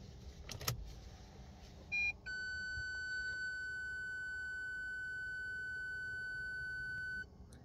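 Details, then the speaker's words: Parking sensor fault warning given as a sound signal, not on the screen: a brief beep, then a steady high tone for about five seconds. "mi caso es como una señal sonora pero en otros modelos suele aparecer en la pantalla"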